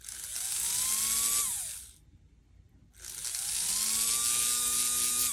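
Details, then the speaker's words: Athearn Band-Drive F7 model locomotive motor powered through the body in forward: spins up twice to a clean, steady high whine rising and falling smoothly, no grinding or ticking; runs nicely. "actually runs quite nice so now I need to figure out let's try in Reverse make sure it works both ways"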